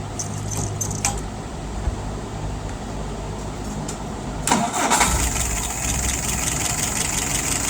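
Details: Restored, tested and adjusted WO carburettor on a 48 flathead test engine, just after acceleration testing, no leaks: engine catches after a few seconds, settles to a steady even idle about 660 rpm, no stumbling or misfire; healthy.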